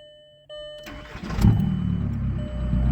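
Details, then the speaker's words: Turbocharged stick-shift car after the broken exhaust section was cut out and replaced with new pipe and clamps: starter whirr, then an even, steady low rumble with no leak, exhaust now exiting at the back; normal exhaust note after repair. "Oh yeah, it's a lot better. Obviously you can still hear it, but the exhaust goes out the back instead of being cut off right behind the driver's seat underneath where all the droning is."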